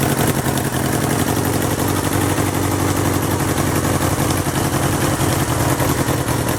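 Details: 1977 Kawasaki KZ650/Z650 B1 four-cylinder (second-hand starter, air screws 2¼ out vs 1½ spec): rough, uneven idle with raspy exhaust and no steady beat; carbs still need syncing.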